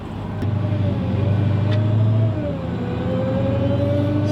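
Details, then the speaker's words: 2018 Hellcat on its first test drive after a wreck rebuild, at light throttle: a faint, steady mid-pitched supercharger whine rides over the V8 rumble and follows road speed. The whine is mild and acceptable. "is whining a little bit, but it's okay."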